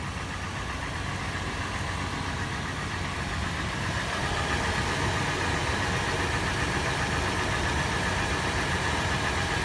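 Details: Toyota FJ warm petrol engine idling with fast steady clattering tap, recorded inside, outside and in the engine bay; tapping faster in park/neutral, slower under load in drive, later becoming slower sharper metallic knocking.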